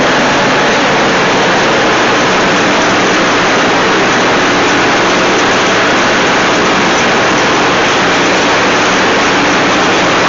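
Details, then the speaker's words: Dixon zero-turn friction-drive mower deck after new spindle bearings and all-new belts not yet broken in: loud steady rush with no knocking, squeal or grinding; normal deck running. "we're checking the uh the deck, you know, for you know, how quiet and smooth."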